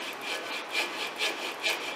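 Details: Honda GL1800 Goldwing final drive at about 65,000 miles, oil never changed and with metal particles, dual bearing turned by hand: rough, gritty grind rising and falling about twice a second; failed differential bearing, replaced.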